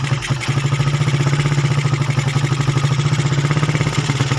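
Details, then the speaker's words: Motorcycle with a TK aftermarket PE 28 carburetor that keeps flooding despite repeated cleaning: small single runs with a rough, uneven low thump and a wet, stumbling idle that won't settle; carb flooding. "jadi tanda-tandanya nanti ini motor yang jenis suka banjir karbunya"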